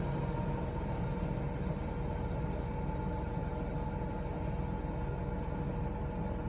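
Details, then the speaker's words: New Coachmen Nova 20C RV's Cummins Onan generator, 0.7 hours, which stalled from vapor lock; after the recall fuel-hose replacement it runs with the Truma air conditioning on low, a steady hum without surging or dying. Normal generator running. "so far the inner the motor generator is operating still running so we're just testing to see if that hose that they replaced on the rebate I'm sorry recall um did the trick"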